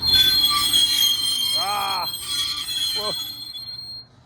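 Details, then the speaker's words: Farm roller backed up with the roller down: loud shrill metallic squeal rising and falling over the rumble as the scrapers rub on the roller; scrapers then slackened and moved along to quiet it. "It is actually the scrapers this time. I just backed up with the roller down so Andrew could hear it and he jumped out of his skin. Didn't realize how loud it was going to be."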